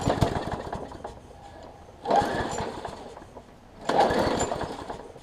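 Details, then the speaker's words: Craftsman push mower, primer now priming but carb not yet cleaned (owner suspects clogged passages), low on gas: runs slow and uneven, surging every couple of seconds, sounding fuel-starved. Rough slow running. "all right y'all let's see sounds like it's a little on the low side or the slow side whatever pull it out a little bit climb it up a little"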